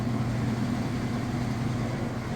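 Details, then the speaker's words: Whirlpool direct-drive top-load washer at top speed on final spin with a load of towels; steady even low hum with no thumping, knocking or scraping, spinning smoothly. "So we'll be on to the final spin next. All right, we are at top speed on the spin cycle."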